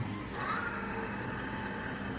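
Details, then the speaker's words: Shelby GT500 fuel pump powered directly through jumper leads to bypass a suspected bad relay: a steady, even electric hum and low buzz as the pump runs and fuel flows through the lines. Pump works; the relay is likely faulty. "you'll hear the fuel pump kick on you'll hear all the fuel going through all the lines and then"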